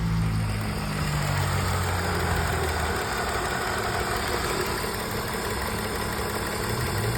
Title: Misfire parte 2